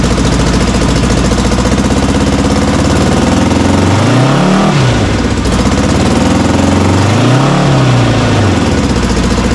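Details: Honda CB450 Black Bomber twin, recently revived, battery meter attached (appears to charge poorly); steady idle then two clean blips rising and falling smoothly without stumbling or knocking. Earlier suspected slight rattle, cam chain checked.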